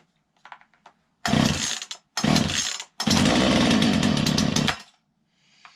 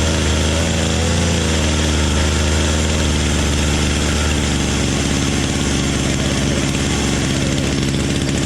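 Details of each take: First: Poulan Pro PP3516 chainsaw after gas line replacement, started on full choke with chain brake on: fires in short bursts, then catches for a steady, even high buzz; starting and running normally, carb adjustment to follow. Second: Poulan Pro PP3516 chainsaw after gas line replacement: fast, buzzy idle settling a little lower; throttle stop screw was all the way in, idling too fast, backed out until the chain stopped.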